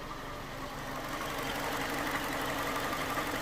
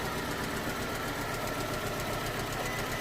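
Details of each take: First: 2011 Ford Ka 1.2 after misfire repair (P0203 found, faulty part and its neighbour replaced, a plug-lead mistake corrected): even, steady idle with a smooth regular beat, no stumbles, no faults detected; normal idle. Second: 2011 Ford Ka 1.2 with P0203 code, idling after the airbox was refitted: uneven, stumbling idle with irregular thumps. Still misfiring; the fault was later traced to a reassembly mistake.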